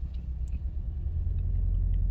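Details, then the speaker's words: 2008 Toyota Corolla ZRE152 at 151,000 km idling with engine light on: deep lumpy rumble with an uneven beat as one cylinder is dead, running on three of four, causing shuddering. "like it's got a dead hole you know it's running on three out of four cylinders"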